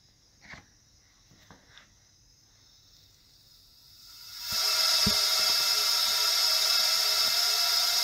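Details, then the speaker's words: Honda ST1100 Pan European cylinder leak-down test at 7 bar, held 22 minutes: steady airy hiss heard flowing into the bottom end, exhaust nearly silent; minor ring blow-by, perhaps one of the best cylinders. "donc voilà quoi quoi à part le bruit qu' l' entend qui s'écoule dans le le bas moteur"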